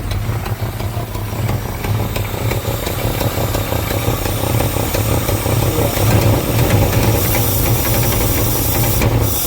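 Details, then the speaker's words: 1986 Fox Body Mustang 302 five-speed, sat 15+ years, intake off: steady idle with constant hiss over low rumble, slightly uneven beat, puffing; exhaust leak suspected, possibly injectors or firing order, not confirmed. "little bit of exhaust leak and it may have a couple injectors that might need to come around unless it's cammed, but I don't think it is."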